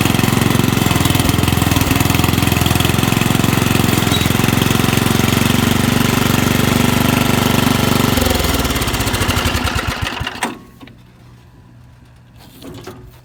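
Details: Rugg carpet-cut tractor found at the dump, small single-cylinder engine pulling under load with a dirty carburetor and a shot muffler. Steady, even beat of about three per second, then it winds down and shuts off. Runs fine.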